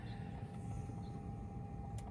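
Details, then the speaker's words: 2008 Mercedes GL550 (X164) multicontour seat air compressor, a replacement unit located at the left rear (the original's electronic board was bad), filling seat bladders at a button press: a quiet, steady whine that pumps then stops; working normally. "There's the compressor running. So, we know the compressor is good. You can just hear it. It'll pump and then it'll stop."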